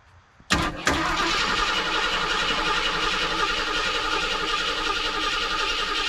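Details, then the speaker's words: 1976 Ford Ranchero 500, 351 Modified 400 engine said to need main and rod bearings, first crank after reassembly with oil added: sharp starter engagement, then fast, steady cranking, turning freely without binding. Normal cranking. "Alright, we got turnage."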